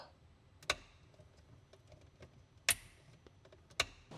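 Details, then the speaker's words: Porsche 996 after an Accusump install, key on and Accusump switch flipped during a function check: three crisp solenoid valve clicks over near silence. The valve opens and closes normally. "That means we can perform our function check, i.e. key this puppy on, flip our switch for the Accusump, and see if we hear that valve click open and closed."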